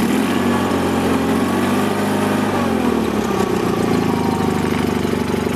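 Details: Toro Wheel Horse 416H lawn tractor with an opposed-twin Onan engine, started on choke: a steady, even twin-cylinder beat and smooth low rumble with no knocks or misses, sounding healthy.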